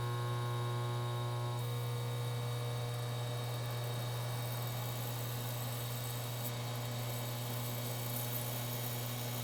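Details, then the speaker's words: Frigidaire Gallery induction range FGIH3047VFB, about two years old, recorded by the camera mic: a steady low electrical hum with a faint tonal buzz from the running induction coils; every coil buzzes, not just one, and the owner finds the stove loud. "so this is from the camera you can hear that buzzing and you can hear that buzzing you can hear that buzzing from every single one of the coils so it's not just one coil that's loud"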